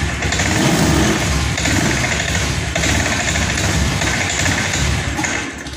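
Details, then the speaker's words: Honda Scoopy ESP FI automatic that began cutting out after tank cleaning, run on external fuel supply set to 40 psi; starts, runs rough and loud, then bogs under throttle and drops/stalls. "Apakah berhasil Pak? Di sini menyala Pak, namun ngempos Pak ya. Drop Pak, kita Pak drop."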